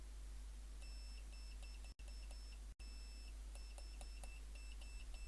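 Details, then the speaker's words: Previously open-circuit bar speaker now reading 4 ohms, fed from an analog meter: clear high beeps in short even groups with clean pauses; driver reproducing the test tone properly, epoxy to be added to secure the repair. "but the sound's definitely coming through the speaker"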